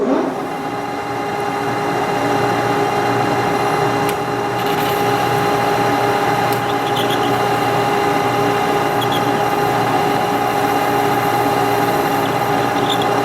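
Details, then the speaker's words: Lathe boring cut after touching up the boring tool's side relief to stop an earlier squeal: even, steady drone with a light cutting hiss, no squeal or chatter; smooth boring cut. "all right so we adjusted the tool a little bit I think it's going to be good"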